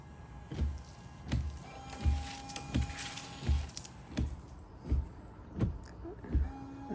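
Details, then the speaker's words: 2017 Audi A3 washer pump just replaced, tested with ignition on and bonnet closed: a faint steady electric hum with soft thumps; normal washer pump operation, though the rear jet may be blocked. "So make sure you shut the bonnet down, and now we can just test the pump. Ignition on. Okay, I can hear it working."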